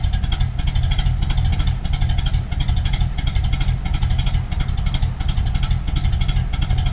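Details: 1986 Firebird with swapped Pontiac 400 V8 and TH400, not cammed. Heavy, uneven lope at idle, about 1.5 stumbles a second, with a deep rumble. Extremely rough idle; owner guesses the fuel pump or filter is starting to fail, not confirmed.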